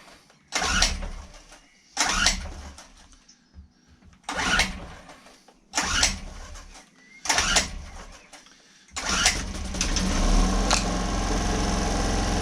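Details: Homelite HG600 generator with Yamaha engine, after fuel pump cleaning and new gasket set, choke on: five rope pulls about 1.5 s apart, then it catches and settles into a steady, even run; starts fine.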